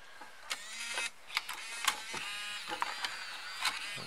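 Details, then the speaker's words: BOSE Wave Music System II 3-disc CD changer, just realigned but with the laser ribbon cable left unconnected: whirring motor, scattered clicks and light brushing scrape while loading, then a disc error. "Sounds like it's brushing on something there. Disc air."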